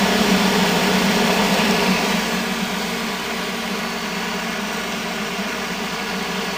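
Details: 1970 Triangle Mobile Home Products 115 V bathroom exhaust fan, bearings worn from long dry dirty use, oiled about two years ago, screen removed: steady even whoosh with low hum, no rattle or ticking; normal running.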